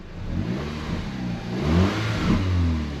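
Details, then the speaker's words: Audi TT engine after a long misfire diagnosis and a new cylinder head: revs up cleanly and settles, smooth and even through each blip with no stumble or popping; zero misfires reported; normal revving. "There's zero misfires. There's still zero misfires. Absolutely nothing."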